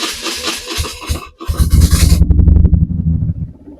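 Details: BMW R1150RT boxer twin, first start after clutch and starter motor strip-down rebuild: starter churns, engine catches and settles into a deep, slightly uneven low throb; sounded all right, better than expected.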